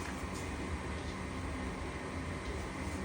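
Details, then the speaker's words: Goodman furnace flashing 3 blinks (open pressure switch); steady whirring inducer hum with no ignition click or whoosh, burner never lights, still 3 blinks. Inducer runs but no ignition; cause not confirmed. "Inducer motor is on. Now we should wait for the igniter and the gas bulb, and we should be good."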